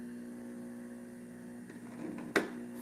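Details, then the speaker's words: Juicer that was brought in as not working, running after its safety switch, stuck in the off position, was freed by disassembly: quiet steady low motor hum, even tone, no rattle or catch; running smoothly. "This machine is still going to work just fine. Um, that safety switch was stuck in the off position and by just taking it apart, we managed to free it up."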